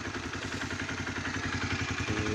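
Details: Honda CBR 125 single during an oil change, fairing removed, warming to thin the oil: even quick putter with mild valvetrain clatter, no knocks or misses; normal idle while warming up.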